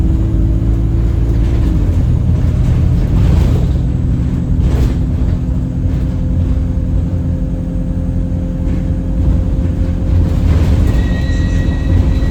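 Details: Alexander Dennis Enviro 200 E20D bus, felt sluggish: under a heavy diesel rumble a steady whistling tone turns into a lower horn-like drone, much louder toward the front. The gearbox is suspected but unconfirmed.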